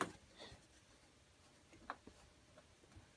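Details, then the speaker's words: Chevy front brake, the side making a grinding noise, wiggled by hand: faint irregular metallic ticks and clunks from a loose caliper, which lets the pad grab the rotor over bumps; caliper showed heat. "the whole thing is loose so when you over bumps the brake pad grabs on the rollor and that's what you hear is that noise"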